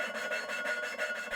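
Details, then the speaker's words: 1985 Pontiac Fiero GM 2.5L Iron Duke cylinder head: valve lapped by hand with abrasive compound and suction tool, dry scratchy rasping back and forth about three times a second, growing softer as it seats; valve lapping. "just back and forth until you can audibly hear it get softer then spinning around and repeat and repeat"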